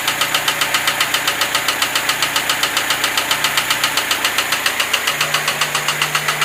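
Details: Lada Niva 21213 engine at idle with a steady, sharp metallic knock of about 220 a minute riding above the engine hum; origin unknown.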